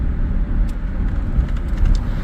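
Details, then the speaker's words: 1996 Chevrolet S10 4.3 with Holley Sniper fuel injection and distributor swap, base timing 10°, cruising in second gear at about 1900 rpm: steady, even low drone with no pinging under load; normal cruise, no detonation. "tooling along so far so good besides the touchiness"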